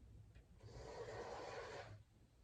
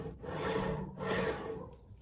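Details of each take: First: Hornby TFW Class 67 model locomotive test run on a 9-volt supply instead of a controller: two smooth passes of quiet, even motor whir rising and fading, a few handling clicks between; the motor runs well. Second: Hornby TFW Mk4 DVT model coach, pushed by hand with DVT and coaches uncoupled to show rolling resistance: soft scraping rub swelling and fading as it rolls; loud rubbing and poor rolling resistance, owner suspects axle boxes or wiper pickups.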